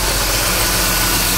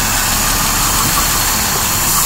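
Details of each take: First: Petrol engine after a vacuum leak near the heater-control vacuum line was fixed: steady even idle, no hissing, idle unchanged when carb spray is applied there; normal idle. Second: Petrol engine idling after engine work: steady airy hiss from air sucked in through a dry-rotted, cracked vacuum hose, located with carb spray; vacuum leak.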